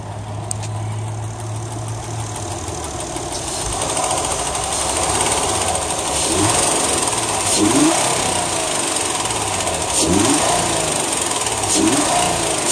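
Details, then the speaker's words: 2008 Honda Accord coupe, 3.5 V6: very loud ticking at about three to four per second that speeds up and grows louder with throttle blips. Cause unknown; owner has read it may need a valve adjustment. "I've been having some problems with the car and it's been doing this major ticking noise and I when I say major I mean it's really loud"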